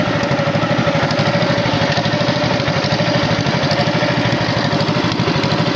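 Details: Tow-behind flail mower's Wisconsin TJD 20 hp inline two-cylinder engine, battery iffy, test-cut grass fine: steady, even beat holding one speed, no misses, knocks or rattles; running healthy.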